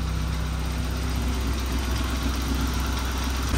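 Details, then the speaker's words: Saab 900 after fixing vacuum leaks; idle air had been overcompensating for a cracked part. Idle used to creep up; now steady at about 1000 rpm, low smooth hum with no creeping. Normal idle. "okay so usually after we started it up within 45 seconds or so it would creep up it hasn't been running that long yet but it does seem to be it's right under a thousand right at about a thousand Maybe"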